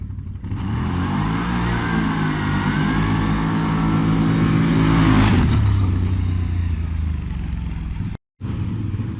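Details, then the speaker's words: 2020 CFMOTO CForce 800 ATV with stock clutch, before the Airdam clutch kit: engine climbs under throttle, then revs dive and sag after the first few feet, an RPM bog under acceleration. "see how it took out that dive in the RPMs after those first few feet it just pulls hard all the way food loads and mid to high range and man it makes a big difference"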